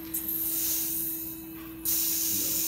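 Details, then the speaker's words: AMO Compact Sovereign phaco machine during its priming and test cycle: a sharp, even hiss cuts in, eases off, then returns strongly as vacuum releases; normal behaviour, and the test passes. "yeah that released a vacuum thumbs out no they go to what you will hear that hissing"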